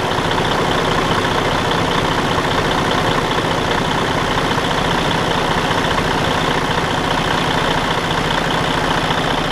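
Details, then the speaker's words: Detroit DD13 truck diesel idling evenly with a steady low rumble and no stray knocks, after repair of a damaged, out-of-time camshaft; before the repair it made a loud, alarming off-time noise. "si pueden escuchar la diferencia en el sonido del motor ya una vez ha sido reparado lo pueden comparar como sonaba antes"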